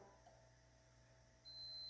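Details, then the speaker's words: 1987 Yamaha Big Bear ATV during a lighting upgrade, multimeter on the continuity setting. A steady high-pitched tone switches on partway through and holds, the continuity beep confirming the black wire goes to a good ground. "There we go, we got a tone. So we know that black is our ground."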